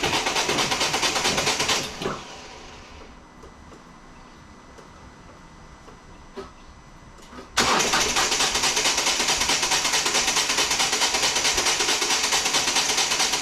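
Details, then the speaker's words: 2014 Volvo V40 D2 1.6 diesel (D4162T) first crank after replacing a stripped timing belt, which had damaged the cylinder head, and fitting a new crank sensor: near silence, then it cranks and catches into a steady, busy diesel clatter. "all right guys so i've got the new timing belt on and the old auxiliary belt on got the new crank sensor in there so let's crank this and see if we can start it"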